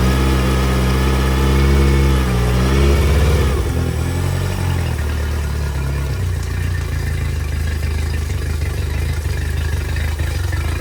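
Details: Yamaha T50TLRD 50 hp outboard after head decking and a new head gasket, revs dropping back to an uneven idle with a recurring stumble; misfire.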